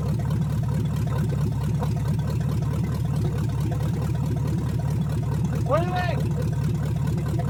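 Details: 1970 Chevrolet Chevelle engine, pulled from a field full of dirt, running again after a valve adjustment and hand-set timing; a low, lumpy idle with a recurring stumble, seemingly down one cylinder. Cylinder misfire at idle.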